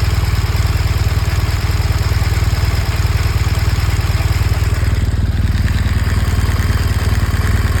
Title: BMW R1200 GS . 2014 engine ticking noise . What generates this sound?